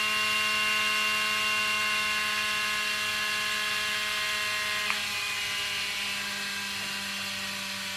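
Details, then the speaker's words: Motor in a Spitfire pizza-tray glider running on supercapacitor alone after the charger is removed: high steady whine that sags in pitch and loudness fairly quickly as stored charge runs out; normal run-down. "And it dies away quite quickly, which is why you need absolutely tip-top batteries to get it as fast as possible before you throw it."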